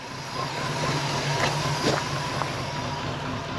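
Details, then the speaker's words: Pontiac Firebird Formula V8 first started after sitting 21+ years, with fresh plugs and oil, idling and not taking throttle: rough idle with a thin steady whistle, a massive vacuum leak as the carburetor is coming apart. "try to rev it up you can hear it has a massive vacuum leak that whole carburetor is like coming apart"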